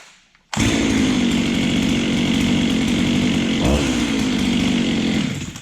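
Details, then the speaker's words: Ported Husqvarna 385XP chainsaw with aftermarket 390 piston and cylinder, first start after rebuild: fires instantly, holds strong steady high rev with crisp clean note, high compression; running well. "but I have a hunch it's gonna be running a lot better than it was it sounds really good and I'm gonna run it in the field for a while guys"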